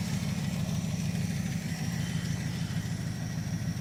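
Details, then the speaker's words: Crew-cab Charger engine build, during spin prime test before setting ignition timing; steady idle with a light, fast ticking about twice per second over the engine note: lifter tick still present. "Sounds like that lifter tick still doing its thing."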